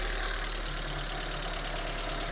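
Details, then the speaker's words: 2000 Honda Civic EX after tapping the sticking idle air control valve housing with rod and hammer: idle dropped, now smooth, even hum with no surging or hunting, steady low rumble; normal idle. "and the idle dropped right down. Boom. That was easy."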